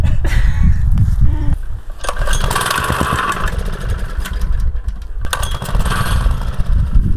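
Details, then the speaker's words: Used jumping jack tamper bought as non-running, test outdoors after carburetor work: the small single coughs and surges unevenly, never settles, runs about 30 seconds then won't restart; rough running and stalling, carburetor problem suspected, not confirmed. "well it ran pretty decently for like 30 seconds and now it's not starting again i guess i'm back to the drawing board"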